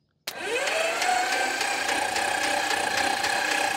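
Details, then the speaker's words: Homebuilt Glasair-type plane, 215 hp four-cylinder engine, after 21 years in a museum: starter cranking to build oil pressure, quick spin-up then steady whine with even compression pulses about twice a second, turning freely without firing; oil pressure rose. "now I'm going to crank it to see if it'll build oil pressure"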